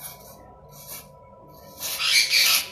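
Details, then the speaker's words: Electric bike bearing spun by hand before regreasing: dry, hissy rasp in bursts; not very rusty, noisy because running dry without grease. "não está muito enferrujado Não ele tá com barulho porque tá rodando seco"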